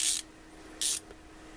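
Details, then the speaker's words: EZ Red 1/4-inch 72-tooth ratchet, found bone dry inside, after a little 3-in-1 oil was added: two short, soft zipping bursts with no harsh dry clicking. It runs much quieter once lubricated. "Much quieter. I just put a little bit, so they sound much better."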